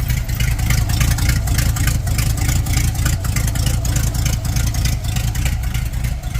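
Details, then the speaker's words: 1930 Ford Model A with a 283 small-block Chevy and Borg T10, parked since 1973, running on old stock manifolds. A rough V8 rumble with ticking chuffs on each pulse; exhaust leak. "Yeah, it's so quiet. It's only somewhat loud because of the exhaust leak."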